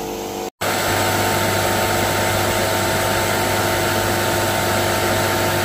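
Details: NAVAC NR7 refrigerant recovery machine recovering from a leaking system, switched from slow to fast: steady constant motor hum and drone, even and unwavering; running normally on fast.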